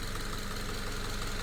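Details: Subaru FB non-turbo engine after a no-oil-pressure repair following an oil change: smooth even idle, steady low hum, no knock or tick. Running healthy, though whether it lasts is uncertain.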